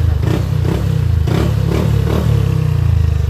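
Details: Yamaha Aerox scooter after repair of failed timing chain tensioner (earlier wrongly repaired elsewhere): loud drone through aftermarket pipe as revs rise and fall, engine now quiet, no chain rattle; the pipe makes the noise; normal revving.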